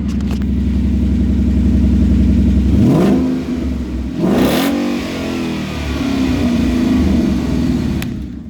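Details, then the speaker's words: Salvaged 2016 Ford Mustang GT V8 after replacing broken aluminum engine mounts, run about 20 seconds without radiator: catches, blips up, settles to smooth even burble; idles nice. "okay so we turn it on for like 20 seconds cuz it doesn't have a radiator but it turns on idles nice"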